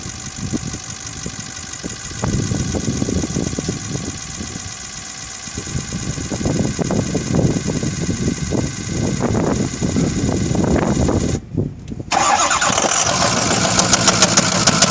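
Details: Ford F450 6.0 Powerstroke diesel, 136K miles, highway construction truck: sharp regular metallic knock about three raps a second over idle clatter; owner unsure if rod, injector, valve or HPOP.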